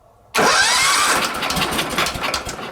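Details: Wheel Horse 315-8 garden tractor, Kohler CH15S: cranks, catches, runs lumpy and won't shut off; magneto primary grounded and all tractor wiring except starter disconnected, yet still has spark; cause unknown.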